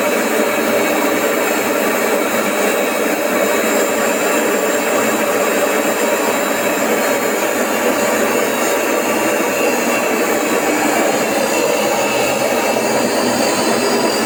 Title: AEG ÖKO LAVAMAT 4100 - 1000 rpm spin test JET ENGINE BAD BEARINGS